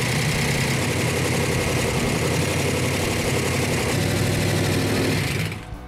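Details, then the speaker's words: Dodge Coronet R/T engine on a run stand with original six-pack carburetion, after replacing the faulty coil: loud, steady, lumpy V8 at fast idle, even beat, no knocks or misses, then cut off; runs well, rockers still need adjusting. "oh that runs good very good royal needs to adjust the rockers but that's beautiful"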